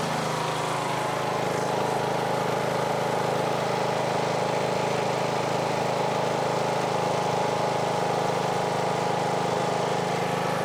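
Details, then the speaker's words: Briggs & Stratton engine on Husqvarna riding mower after replacing failed camshaft decompressor, previously cranked like a dead battery: starts easily, smooth even single-cylinder idle, no misses; normal idle. "and it idles dark nice dude very easy"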